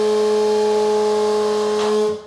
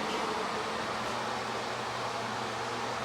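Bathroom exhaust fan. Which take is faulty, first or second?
first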